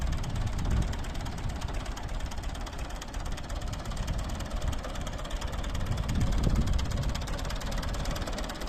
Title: Ford 3910 engine misfire.